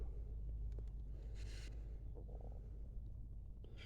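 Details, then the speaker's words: A steady, deep rumble underneath the car, the low drone of a bad wheel bearing. A scan of the same car shows a faulty right front speed sensor. "so you can see there that the right front speed sensor is faulty and this thing's got a bad wheel bearing you can hear it"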